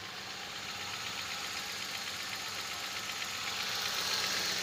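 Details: Toyota Corolla after replacing part, cable, high-tension leads and starter, previously would not start and stalled; steady, even idle with smooth regular beat, no misses or knocks; normal idle.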